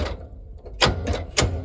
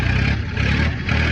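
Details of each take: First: Long-sitting Ford Industrial 4500 gas loader tractor: heavy repeated clunks as rusty starter engages and stalls, barely any movement, no cranking rhythm or firing; seized, locked-up engine. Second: Ford Industrial 420 diesel backhoe, reportedly not cranked for a month or two, battery likely dead, held at high idle with a rock in the throttle: fast steady diesel clatter, gentle rise and fall, no miss or knock; runs well.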